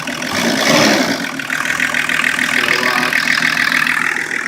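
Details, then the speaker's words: 1984 Lincoln Continental turbo diesel, back together after repairs, with the fuel mix leaned slightly and the thermostat-controlled high idle system; steady, even diesel clatter with a hissy top end and no knocks or misses. "sound too bad to me it sounds like a diesel she's a kitchen"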